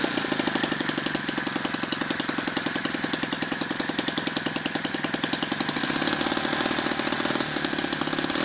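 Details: Lynx 15 small model engine, running after final assembly and after refitting a fuel pickup tube that had fallen off in the tank and let the carburetor suck air: quick, even popping beat with no misses or stumbles; normal running.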